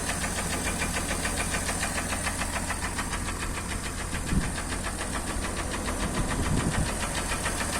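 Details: Acura MDX engine knock: uneven knocking around three per second over a steady idle rumble; source not pinned down.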